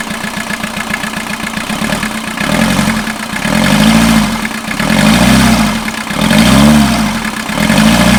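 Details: 1989 VW Jetta mk2 diesel, 5-speed, about 118,000 miles, started after sitting about 14 years, on new fuel and a new battery: catches and settles to a steady idle with a couple of slow rev swells, running evenly; normal.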